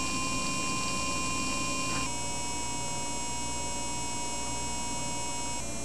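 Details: Repaired Laing DDC pump with new DIYINHK PWM PCB, speed changed in BIOS, microphone right next to it: smooth steady whine over soft hum stepping in pitch; up to 5200 rpm, above factory speeds, noise falling with rpm.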